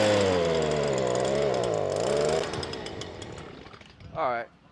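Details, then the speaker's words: Stihl BG86 two-stroke blower, customer complaint of bogging, gooey residue around the newer-style carburetor: buzz wavers and sags, dies off and briefly picks up; carburetor fault, new carburetor going on. "y'all see how it's acting I ain't even going to fool with it I'm putting a new carburetor on it"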